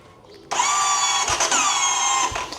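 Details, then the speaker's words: Kawasaki KLX 230 SM motorcycle, battery newly replaced: thin high-pitched starter whir of about two seconds with no heavy engine turnover, feels like no pulling power; weak cranking from worn, slipping starter drive gear. "ปัญหาที่เจอก็คืออย่างงนี้ครับวิธีการสตาร์ทมันเนี่ยฮะมันเหมือนไม่มีแรงฉุดอ่ะลองฟังอีกทีนะ"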